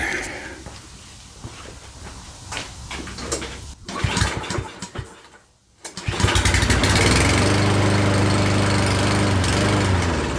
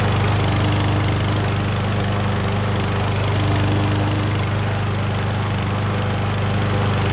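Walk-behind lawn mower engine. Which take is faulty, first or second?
first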